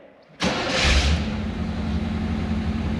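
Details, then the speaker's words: Abandoned K5 Blazer started with a squirt of starter fluid after cranking, now idling with 40–50 psi oil pressure: catches after a brief crank and settles into a steady, even low rumble with no knocks or misses, healthy engine. "and man, she started up and now she's idling. That engine sounds healthy."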